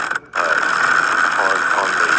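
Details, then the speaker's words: Bauer 1,000 lb electric impact wrench from Harbor Freight; steady high metallic whir with rough ratcheting grind, owner unsure it should sound this way and sees metal at the bearing; abnormal grinding. "I don't know if my impact wrench wrench is supposed to sound like this, but I can see a lot of metal on the"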